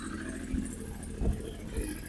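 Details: Triumph Speed Triple 955i, 2000 or 2001, newly bought project bike: low, steady burble with soft even pulse and nothing rattling; idling smoothly.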